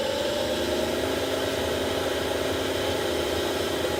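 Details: 10-year-old Panasonic NA-VR1100 drum washer-dryer while drying: loud, steady whirring roar with humming tones, sometimes stopping with an error. Blower fan motor bearing seized by debris; fixed by replacing the motor, or the bearing alone.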